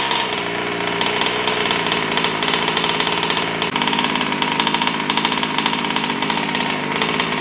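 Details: New Taylor RC 35cc two-stroke engine in a DBXL 2.0 with Bartolone Racing exhaust, during break-in heat cycles at half throttle, restarted after cooling: steady, crisp buzz, firing evenly with no misses; normal running.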